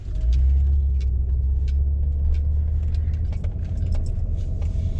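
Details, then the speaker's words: 2005 Acura TL after passenger-side motor mount replacement, driven over parking-lot bumps after a rattle in reverse and park: steady low road rumble with no clunks or rattles, normal engine mount. "No clunking, no rattling."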